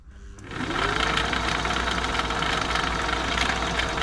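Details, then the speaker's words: Old Singer 507 sewing machine running with its covers off, lying on its back during a service; a fast, dry clattering hum from the bottom mechanism, which quietens as oil is worked in from the top; the noise comes from dry parts. "I think you can hear that bottom play on it really though oil it from the top that just be dry pop some through"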